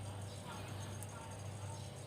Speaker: bisa terdengar kalau kompresor ini sekarang sudah bergetar ini sudah bergetar kompresor ini sudah bergetar sudah bekerja